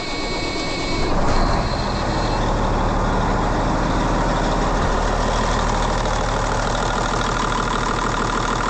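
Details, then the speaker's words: N14 Cummins diesel after a cam job and injector replacement: idle with a light fast tick over the rumble; owner suspects valve lash and plans to recheck it. "got the injector in it a little bit of a ticking noise I'm not sure I might double check make sure my valve lashes right"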